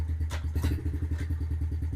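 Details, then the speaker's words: 2013 Yamaha TTR50 dirt bike with training wheels just installed, on the ground after start-up: quick, even putt-putt at steady idle with a low thump each firing, no knocks or misses; starts and runs well. "Well, I tell you what, I'm just amazed the way this thing starts and runs."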